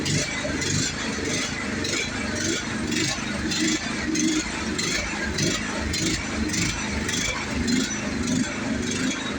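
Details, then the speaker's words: Toro TimeCutter riding mower running without choke after repairs: uneven pulsing of about a hundred surges a minute that never settles, acting like it's running out of gas. Still runs poorly without choke. "Yeah, it's going to do it again. It's acting like it's running out of gas."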